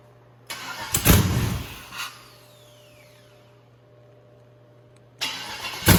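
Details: 150k-mile 6.0 LS V8, first start after finding a missing wire up top: catches and roars briefly, dies back, then fires again strongly with no odd noises; normal start.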